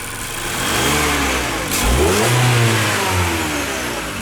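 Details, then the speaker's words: 2015 Mazda 6 SkyActiv, 85,000 km, first start after the knock was cured by replacing the connecting rods; clean smooth revs with no tapping or knocking, the pin knock is gone, normal running. "Вроде все поставили. Тишина. Пальцы перестали стучать."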